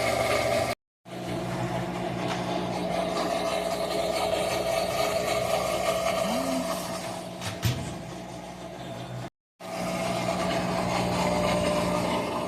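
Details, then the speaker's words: Whirlpool WTW4816FW3 top-load washer bought 2023, control board replaced three times, after a drain and spin finished: steady low hum with a higher drone. It starts up on its own with no lights, nothing moving and no response to the lid or buttons. "Finished the wash, but it keeps turning on with awful noise. Doesn't respond, no lights."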